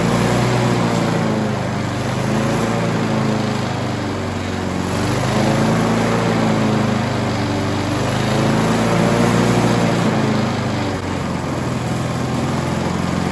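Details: Briggs & Stratton 4-stroke on an alloy-bodied Scott Bonner lawnmower not reaching normal RPM: the drone swells to higher revs as the carburetor butterfly is opened by hand, pointing to a governor spring fault.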